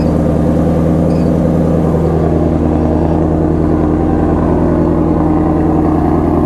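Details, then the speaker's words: 2018 Ford Mustang Shelby GT350 manual, salvage auction car: deep, loud, even V8 burble at a steady idle with no misses, knocks or ticks. It sounds healthy. "she sounds healthy sounds real healthy"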